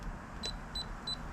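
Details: Moisture meter beeping four short high-pitched times, flagging a high reading of about 21 on the odd spot of a split piece of standing deadwood firewood.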